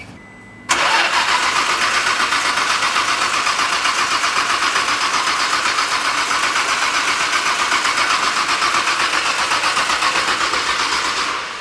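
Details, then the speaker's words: R33 Skyline GT-R Le Mans Edition, 800 hp build, start attempt after priming the rail and pump: starter spins steadily for ten seconds without firing. Fuel pressure was only 150 kPa of the wanted 300. "Are we getting fuel pressure? We had 150 kPa. So about half of what we should be. So we want about 300. Um that didn't really sound like it wanted to fire at all."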